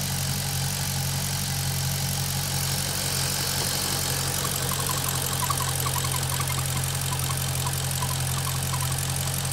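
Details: Maserati GranTurismo at warm idle, operating temperature: uneven light ticking and rattle over steady hum; noise absent when cold or with oil dipstick pulled; cause unknown.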